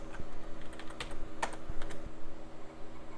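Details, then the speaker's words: Hard drive in a salvaged retro PC from an e-waste haul, booting Windows 95: light, quick irregular ticks and soft clicks over a quiet hum, with no grinding or repeated clunking. Normal hard drive seek. "and boot it does it's got windows 95. yeah a little hard drive sounds good"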